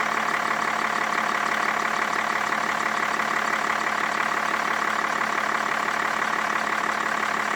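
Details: 2005 BMW E61 525d diesel after water damage to the ECU: steady, even idle with a soft regular clatter, no misses or hunting. Engine sounds healthy.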